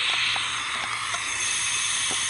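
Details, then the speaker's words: Brand-new Briggs & Stratton 500 mower engine that never started, leak-down tester in spark plug hole, air filter off, engine turned over: steady high hiss of air escaping through the carburetor, pointing to a leaking intake valve. "i'm going to spin this motor over so we have an abundance of air coming through the carburetor so when i'm turning this engine over"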